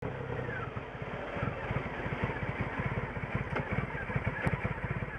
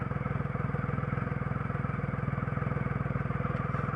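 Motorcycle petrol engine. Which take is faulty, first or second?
first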